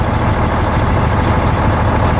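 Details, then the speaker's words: 2003 International 2574 dump truck, Cummins N14 diesel, had hard starts after sitting overnight; just after replacing the fuel filter feed line and priming, it idles deep, even and much smoother. Normal idle after repair. "it runs way better too so much smoother oh my gosh what an easy repair it idles so much smoother"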